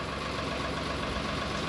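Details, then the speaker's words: Sonalika 734 DI tractor after replacing the clutch plate, pressure plate and clutch bearing: steady, even diesel idle with no grinding or clash going into gear; the clutch now disengages cleanly. "Clutch दबाकर गैर लगाने पे अब कोई आवाज नहीं है हमारा गैर अच्छे से ग जा रहा है ये आप देख सकते हैं गियर लगाने में कोई आवाज नहीं है"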